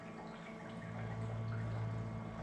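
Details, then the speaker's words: Printer commissioning: a makeup fluid bottle (fast drying black) is pushed into the smart fill cup and drains into the makeup reservoir over 20–30 seconds; soft gurgling and trickling over a low hum, stopping when full; normal filling. "it takes around about 20 seconds 30 seconds to drain into the printer you'll hear it stop gurgling"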